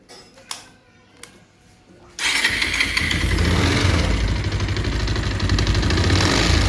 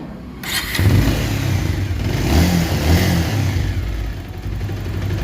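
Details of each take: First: Bajaj Pulsar 220F BS6 motorcycle starting: a few clicks, then a busy idle with a metallic chattering rattle, which worsens once the engine heats up while riding; worn, slack timing chain needing replacement. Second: Bajaj Pulsar 220F BS6 after timing chain replacement (old chain worn, rattled worse when hot): engine catches and revs cleanly, smooth even note, timing chain rattle gone; normal start and rev.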